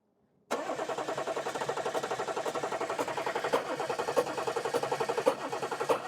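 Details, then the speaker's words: Audi A8 3.0L diesel that won't start: steady starter churn with even compression beats, about four a second, and no firing. Carbon is found from an injector blowing past its copper washer seal, and one injector is suspected of failing. "see all this is a result of um injector leaking injector blowing past the copper washer"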